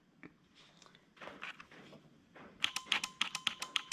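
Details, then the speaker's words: Supercharged Lexus 1UZ V8 with automatic transmission and Haltech 2500 wiring, on the bench: sharp, dry relay clicks about three or four a second from the relay under the intake manifold. The relay is switching normally. "You can hear the relay underneath the intake manifold."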